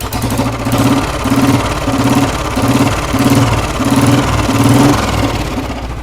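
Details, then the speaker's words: Royal Enfield Bullet 350 single idling after cylinder head rebuild for both worn valve guides; the earlier thumping/knocking noise is gone, leaving a slow, even thump-thump idle with no knock or clatter; normal idle. "श एकदम okay हो गई आवाज जो इसकी धड़क रही थी ना उसकी आवाज बिल्कुल खत्म हो गई है"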